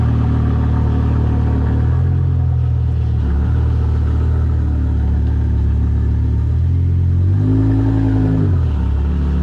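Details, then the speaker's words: BMW E60 M5 S85 V10 after replacing cylinder 2 and 3 coil packs and an updated ionic module for rough cold start and misfire: steady, even drone with smooth revs while driving, no roughness or stumble; running smoothly after repair. "Definitely tell it's smoother. It's just not as rough and rampant like before."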